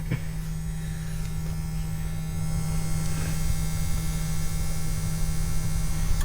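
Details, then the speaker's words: Caterpillar 966 wheel loader (called both 966K and 966H), bought non-running at auction from a landfill: an even, unbroken low electric hum from the fuel transfer pump priming the system, no surging or cavitation. It is running normally, with fuel present but air in it. "There you go. You can hear there's your fuel transfer pump. You got fuel in it."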